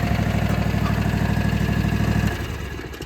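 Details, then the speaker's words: Toro TimeCutter z4235 42-inch zero-turn mower, Kawasaki FR651V 22 hp V-twin, garage kept, needs fuel filter: even steady putter at idle for about two seconds, tapering off, smooth with no miss or knock. "It's got that Kawasaki FR651V 22 horse twin. Let's hear it. Got the smooth running engine."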